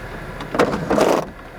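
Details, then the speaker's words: Taped-up sunroof on a Florida saltwater flood car: a short, even electric whir under a second with no grinding or catching; the sunroof motor is working normally. "it's taped up but it is working so that's good"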